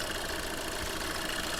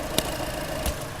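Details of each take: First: Skoda Fabia diesel with 11,397 km shown, check-engine light on, stable rpm, cold start: rough, dense knocking chatter over the idle, engine blow-by from worn piston rings; no smoke at idle, smoke when revved. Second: Skoda Fabia diesel idling during blow-by check: soft, even low hum with no knocking or rattle, a couple of brief clicks; engine quiet and healthy.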